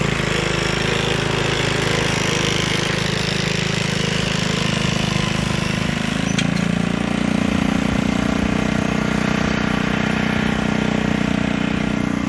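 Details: Gilson rear tine tiller after recoil cleaning, fuel seeping at tank/carburetor seam: single-cylinder chugs steadily, dipping slightly as load comes on and recovering cleanly without missing or stalling; running healthy.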